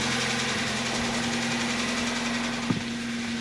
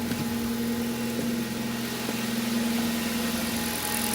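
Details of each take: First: Kia Rio with the G4FC engine at about 200,000 km: loud, irregular knocking over a rough idle plus new oil consumption, after a spark plug failure damaged the cylinder; the engine needs a full rebuild. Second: Kia Rio with G4FC petrol engine, about 200,000 km, after full engine rebuild following spark plug damage that caused loud knocking and oil consumption: smooth steady idle, clean even hum, no knocking or ticking.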